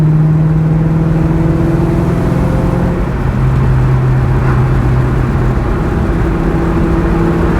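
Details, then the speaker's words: 2003 Mustang Cobra driving in 4th gear at moderate throttle, new quieter exhaust: smooth even exhaust drone climbing and settling steadily, no rasp or popping; normal exhaust note. "Sounds great. 4th gear, just moderate throttle."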